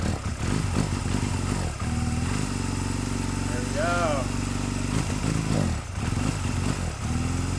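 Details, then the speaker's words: 2005 Honda Rebel 250, thought to be unrun for about ten years, first running after new gas, new plugs and a cleaned carburetor: steady putter that sags and nearly dies when throttle is given; hesitation on throttle. "sounds pretty good it kind of dies a little bit when you give it throttle so I wonder"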